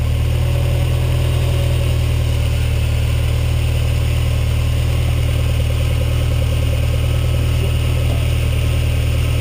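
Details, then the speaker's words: Ferrari 308 GTS after carburetor swap, during carb sync and idle stop adjustment: steady, even idle about 1500 rpm with smooth low rumble, no misses or knocks; normal idle. "That's about perfect about 1500 RPM."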